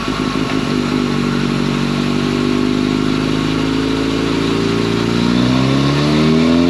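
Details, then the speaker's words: 2011 Yamaha FZ8 on the dyno rollers with a Yoshimura exhaust, after stator and flywheel magnet repair, a sprint filter and small fuel tweaks to an earlier tune: smooth, quiet, even drone climbing to high revs under load, no knocks or misses; normal. "I think it sounds great on this bike. Real good, quiet sound to it. Sounds pretty good."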